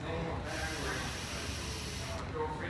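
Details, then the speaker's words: EGR valve solenoid tested by blowing air through its ports with a rubber hose: a steady hiss of air keeps escaping for almost two seconds, so it doesn't hold vacuum. The solenoid is stuck open. "and you can still hear the air escaping also test this port and you can hear air is still escaping through the solenoid and that tells me that stuck in the open position"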